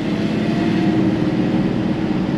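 Engine pulls evenly through the gears with smooth, steady revs and no knocks or whines; sounds healthy.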